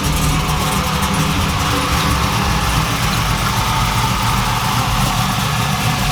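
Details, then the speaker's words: 2002 Camaro SS V8 after replacing the idle air control valve and retuning the PCM: low, even idle at about 800–850 rpm target with no hunting or creeping, where it previously sat at 1000–1150 rpm with a check engine code. "the car sounds fine it doesn't the idol doesn't creep up above a thousand anymore it keeps the idol right around the target rpm that I said it at"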